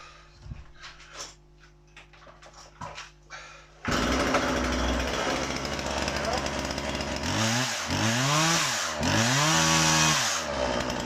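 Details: Husqvarna 137 (135 e-series) chainsaw after restoration with new oiler, bar and chain: quiet clicks, then it fires and idles steadily, revving cleanly up and down twice with no bogging; healthy running, chain oiling well.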